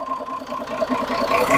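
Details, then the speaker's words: Perkins 6-cylinder diesel in homemade RV on 1966 GMC bus chassis, first run after years sitting, fuel system bled, oil pressure over 40: steady even idle clatter, regular beat, no misses or knocks; healthy. "no way she's scw the oil pressure pick right up looks like we got movement in the radiator Reservoir oh man it sounds good too"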